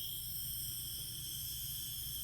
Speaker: and we're almost there you could hear the hissings getting less and it's not popping back up to see the Rings but it's still popping up so that took about 2 minutes for all that steam to come out and that is the quick release